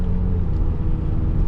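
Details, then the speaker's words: BMW E60 M5 S85 V10 at light throttle after replacing coil packs on cylinders 2 and 3 and the updated ionic module: deep, even rumble with no stumbles, smoother and no longer rough or misfiring as before. "It's just not as rough and rampant like before. It was so freaking aggressive and loud and rowdy."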